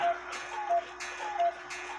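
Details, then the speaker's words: 1928 Lux Blossom Time shelf/wall clock said not to work, wound a couple of turns before cleaning: even tick-tock about one beat every 0.7 seconds with steady rhythm; movement running normally. "They say it didn't work, but I grabbed the key and gave it a couple of turns, and it is ticking away."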